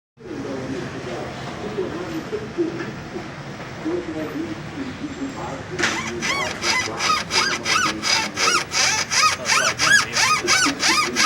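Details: Volkswagen CrossFox G6 suspension rocked: rhythmic high squeaky creak about three times a second from worn stabilizer bar bushings; fixed by replacing bushings and end links, noise gone; stabilizer bar bushing creak.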